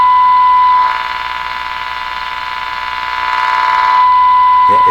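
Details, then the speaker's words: Hallicrafters TW2000 World Wide valve radio during Band 2 (15 MHz) alignment: a loud steady whistle wavers and swells as the dial nears the station; the signal pulls, which the owner thinks is the local oscillator fighting the antenna signal, possibly AVC or a tube artifact. "so what's happening there is a local oscillator is being fooling around with fighting signal from the antenna I think that's what's going on"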